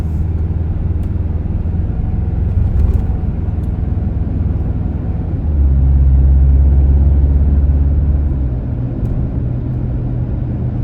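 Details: 2025 Toyota Tacoma with the air dam removed, after installing hole plugs, driving around 28–30 mph: a steady low road rumble that swells slightly under acceleration, with no whistle or high tone on top. The wind noise is fixed.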